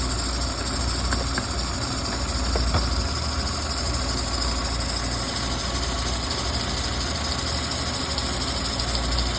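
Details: Audi A6 3.0L engine at steady idle with a constant thin high whine, a few faint ticks and noise from the belt area; coolant leaking from the water pump onto the alternator belt and into the vacuum solenoid valve and vacuum hoses.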